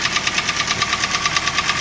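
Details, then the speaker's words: Toyota 3SZ 1.5 engine, about 88,000–89,000 km, knocks both cold and warm: sharp hollow metallic knocks about thirteen per second timed with idle; piston slap, a known fault of this engine, valve clearance adjustment doesn't help. "и болячка на многих на этих моторах что вот этот стук с поршневой идет потому что без вариантов"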